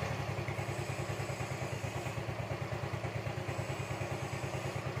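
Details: Yamaha Mio M3/Mio Z 125 scooter after new piston rings were fitted: a steady idle with an even, quick low putter. The former thick white smoke and the ticking from the camshaft/valve area are gone, so it sounds healthy.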